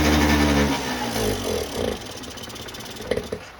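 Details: 1989 Yamaha Riva Razz 50cc two-stroke scooter (SH50), off the road since about 2011, at its first start, running from a small external fuel tank. It catches at once and buzzes evenly before fading into background clatter; starting and running fine.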